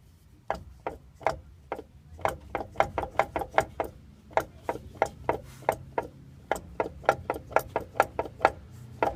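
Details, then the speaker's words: Nissan Titan rear differential, a ton of shavings found, driver's side axle popped out: sharp hollow clunks about three a second as the driveline is rocked by hand; heavy gear lash, a lot of slop, probably needs a new diff. "a lot of slop. Probably gonna need a new diff."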